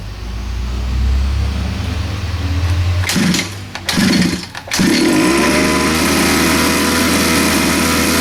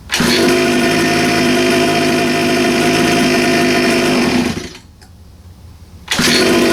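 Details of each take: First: 47cc Chinese pocket bike two-stroke on premix, after cleaning carburetor jet: buzzes along, dips and stumbles briefly midway, then steadies to an even run; normal running. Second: 47cc Chinese two-stroke pocket bike on choke with a bit of throttle: steady buzz suddenly sags almost to nothing for over a second before catching; bogging out, clogged carb jet suspected.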